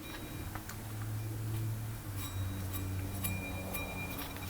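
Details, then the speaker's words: 1996 Lexus LS400 running: loud dry, uneven clicks about twice a second over a low hum from the serpentine belt tensioner and idler pulleys, bearings shot and barely spinning; risk of seizing and throwing the belt. "But while it was running, I noticed that the tensioner pulley and the idler pulley on the serpentine belt system was making some loud noise."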